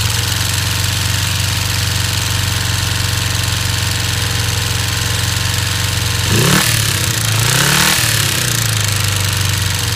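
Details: 1989 Kawasaki Ninja 250 after valve inspection (7 of 8 valves out of spec, plugs fine, cam chain tensioner cleaned): steady idle with uneven tapping knock persisting through two throttle blips; source unclear.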